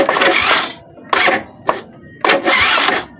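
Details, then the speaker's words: Suzuki Smash 110 motorcycle starter motor tested on the ignition: three short whirring bursts, one per button press, each spinning up freely; starter motor working normally. "Nih nih suaranya gini nih kalau kalau dinamo hidup Suaranya kayak gini kita kontak dulu ini suara dinamo aktif"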